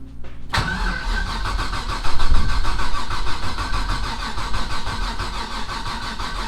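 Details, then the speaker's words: Rally Camaro LS V8 on new Aces Jackpot standalone ECU: starter cranks steadily, about three and a half turns per second, never catches, fuel smell; no spark, 98% certain from coil pack grounded through gasket-isolated valve cover bolts, not yet confirmed. "The reason why we weren't getting Spark is we had the We have yet to confirm this."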